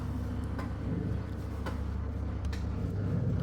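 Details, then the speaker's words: LG top-load washing machine on spin program: water is taken in and the pump runs with a steady low hum and faint ticks, but the drum motor never starts; failed start capacitor, and replacing it fixed the machine. "you can hear the noise the pump already started still not uh start the motor noise but uh time already reducing now showing 6 minutes mot not getting start"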